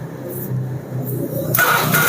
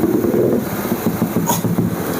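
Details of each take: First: Carbureted Honda Vario (early generation, KPB code) that came in dead, starter tested after repair work: short starter whir, then the engine catches and settles into a steady run; normal electric start. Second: Honda Vario carburetor scooter, charging checked at 14 V; fast, steady single-cylinder idle that never settles or hunts; idle speed set too high.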